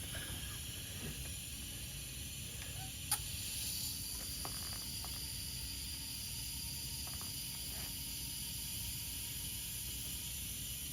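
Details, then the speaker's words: Rapid Air Weapons HM1000x air rifle filled to 200 bar after O-ring replacement: a steady thin hiss with a small knock near three seconds as air leaks at the breech; owner suspects the O-rings inside the brass valve. "Well, we are at 200 bar. I hear something leaking."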